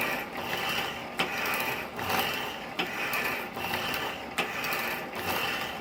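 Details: 1916 Diamond Saw Works power hacksaw driven by 1915 1/4hp Century Model RS motor, cutting bar; steady sawing rasp with sharp click at each stroke end, about every 1.6 seconds, from worn frame pin bushing.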